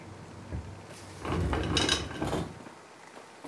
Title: GTOmega loud wheel rattle